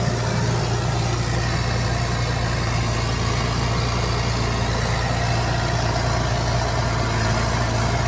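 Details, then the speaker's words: 29-year-old TimberJack 450-C skidder diesel, just started on ether after sitting 8 years: deep, even idle with a steady low rumble and no knocks or stumbles, running smoothly; it later showed zero blow-by. "Wow. This thing runs so good."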